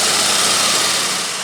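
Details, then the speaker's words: 3.7 engine at idle after cleaning with Gunk engine degreaser: steady, quiet idle with an even airy hiss, no belt or compressor squeak or squeal, engine healthy. "fairly quiet for 3.7 so everything's working fine fine electrical"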